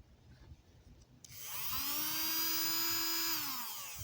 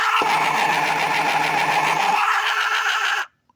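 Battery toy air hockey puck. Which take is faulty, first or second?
second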